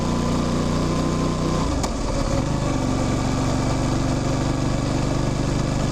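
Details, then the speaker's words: Motorcycle riding: steady engine drone, then a sharp clunk and pitch drop at the gear change, followed by an even hum. Chain chirp rises with speed; the rest is engine, gearbox and clutch. Normal drivetrain noise. "Ten świergot narastający wraz z prędkością, to jest właśnie dźwięk łańcucha. Te stuki to moment przełączania biegów, a reszta to po prostu to, co dzieje się w silniku, w skrzyni, w sprzęgle."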